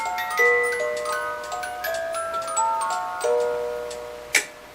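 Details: Restored Regula 25 cuckoo clock after cleaning and hammer/bellows lift-arm adjustment: bright tinkling music-box melody plays cleanly over background ticking, no drag or hesitation; clock and music box healthy.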